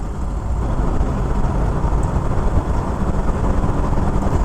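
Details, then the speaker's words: Ford XA Falcon with the 250 six on its first drive in about 16 years; a steady, even low rumble under way with no knocks or misses. It pulls smoothly and sounds healthy, though it has some tendency to stall. "Oh, there's something about the way an old fell even this little 250 it goes. She goes and it's it goes well."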